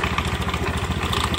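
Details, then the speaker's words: Honda Beat scooter idling with a rapid, uneven knocking rattle underneath from worn roller weights in the CVT belt drive. "maraming kumakatok sa ilalim. So ngayon ito yung isha natin mga bossing dahil unit po natin mga boss ay Honda Beat."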